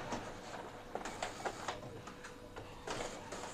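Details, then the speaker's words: Epson L15160 inkjet printer printing in quiet mode after timing belt replacement: soft, spaced clicks and short carriage whirs with pauses; not noisy because quiet mode is on, otherwise it would be much louder; running normally. "ini printernya gak berisik kenapa karena saya pakai mode qunya di onkan kalau enggak dia pasti berisik banget"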